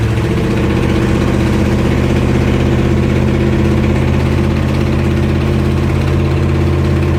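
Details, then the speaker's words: 1969 Corvette 427 four-speed with non-stock Brodix aluminum heads, first start-up, about ten minutes in: strong steady V8 idle with fast faint ticking puff; driver-side exhaust manifold leak, a bolt head kept the manifold from seating, melting plug wires. "it sounds to be like we do have a little bit an exhaust leak sounds to me like it's over here on the driver's side we'll have to check into that"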